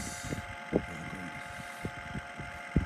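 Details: Indoor air conditioner unit: steady humming drone with irregular dull thumps about every second, present for a long time; worn indoor fan motor, replaced along with cleaning.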